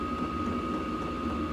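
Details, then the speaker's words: Hcalory diesel air heater in a camper on a 12 V battery, setpoint just lowered about 8°: steady fan whine with a soft low hum, fuel pump ticking slower than before; normal running. "I can hear the pump is not pumping as fast as it was. And I just turned it down like 8°. So yeah, you can hear it slowing down."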